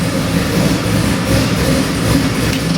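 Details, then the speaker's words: Custom-built Chevy LS7 441 cubic inch crate engine with drive-by-wire throttle body, fired up on the stand for a 1969 Camaro; a deep, steady V8 rumble with an even, choppy lope and no knocks or ticks, running beautifully. "I'm going to fire it up and give you a demo. Runs beautiful."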